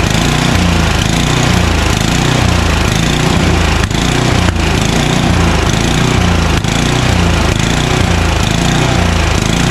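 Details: Craftsman 29" snowblower, 9HP Tecumseh single-cylinder, long unused, started on choke at full throttle: speed rises and falls about once a second; suspected dirty carburetor.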